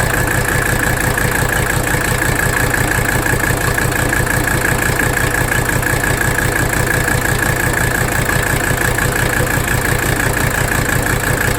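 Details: 1985 Mercedes 300D diesel idling in drive under AC load during a rack damper bolt adjustment; lumpy, uneven beat about three times a second over steady clatter; rough idle, cause unclear.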